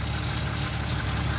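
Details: 1992 Jeep Cherokee idling with a deep, steady knock from low in the block and a misfire; rod knock suspected, knock felt at the bottom of the oil pan, engine to be replaced.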